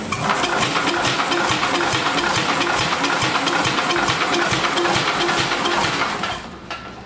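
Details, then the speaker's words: Vintage Wisconsin engine being revived: slow, regular thumps about two per second while cranking, each compression stroke heard, but no firing; tester read around 40, doubted as inaccurate; battery weak; spark not yet checked. "that should be enough it should start it sounds like it's thumping"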